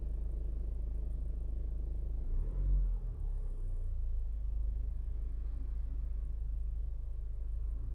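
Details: 2016 Ford Focus at idle: a quiet idle with a soft, uneven knock about three to four a second. The knock goes away for some seconds after a slight rev, then returns; the cause is unknown.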